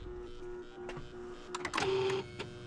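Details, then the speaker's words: Car with intermittent starting trouble now failing to start: turning the key gives a few sharp clicks under the hood but no cranking, even with a charger on 75 A engine-start boost; battery ruled out, starter most likely at fault. "it wasn't the battery it's a starter most likely"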